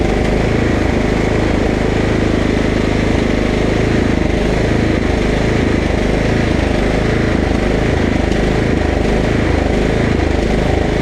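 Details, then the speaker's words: Husqvarna LT1538 mower with a Kohler CV15S, surging, with a dab of carb cleaner sprayed in to richen the mixture. The single-cylinder chug hunts up and down, briefly clears, then hunts again; a lean fuel issue from old fuel and a gummed carburetor. "okay okay now I still don't know if it's charging but I'm convinced that we're having a fuel issue usually hunting like that is a fuel issue"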